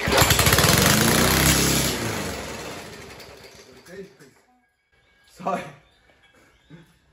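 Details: Roadside-found Rover 4-stroke mower after priming, throttle raised: loud ragged uneven firing that surges, then dies within three seconds as the muffler blows off; lean stumble from carburetor intake air leak.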